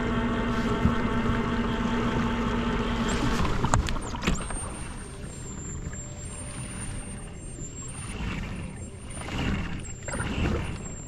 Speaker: One question that you may have is, man, that thing is loud, because you hear the gears. It's gonna spook fish. Not really, because the sound is above the water.